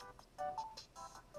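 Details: White Nintendo DSi XL that did not boot, after replacing a fuse: short soft run of bright chime notes at power-up; console now boots normally, hinge still broken.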